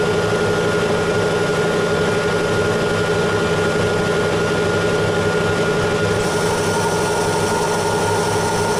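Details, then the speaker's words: Lathe hard turning a case-hardened linear shaft, 0.2 mm per pass: steady, even cutting noise with a clear sustained ringing, slightly musical tone and no change in load; cause unclear. "yeah it's a little bit musical you can hear there"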